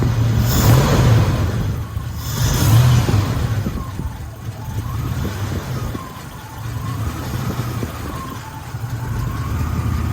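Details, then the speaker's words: 1984-87 Buick Turbo during TPS and IAC reset, throttle set screw lowered from 825 to about 425 rpm before raising to 550: very slow, uneven, lumpy idle sagging after blips; idle speed set too low. "Okay, you see we're at 425 right there, so we're gonna bump it up some. shocking that these cars can run at 425."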